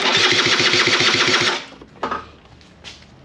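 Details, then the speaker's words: SR50 scooter down about nine months with intermittent no-spark (ECU and coil already swapped), cranked with 7.5 A fuse removed: even starter churning about four beats a second, no firing; cause unconfirmed. "it feels like it's spinning over just fine okay i think i think now the voltage is low and it's not spinning over that strong"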